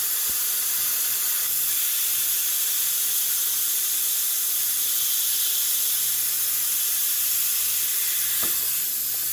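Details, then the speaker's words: Truck with a 48RE transmission, engine off, boost system pressurized with shop air to about 20 lb: steady loud, high, airy hiss of escaping air that changes when the boot is handled. Boost leak at a split intercooler boot that needs replacing. "there you can hear the sound change when I did that so we definitely need a boot definitely need a boot"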